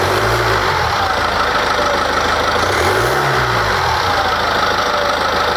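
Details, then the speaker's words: BMW diesel after repair of engine damage from wrong oil: even, steady idle clatter with faint low resonance from the DPF (now packed with rock wool) and no whistle, unlike the earlier whistling; noise normal. "perfetto perfetto Quindi avete sentito il la rumorosità è perfettamente in linea come qualunque motore ehm di questo genere si sente un minimo di risonanza per il discorso del faap"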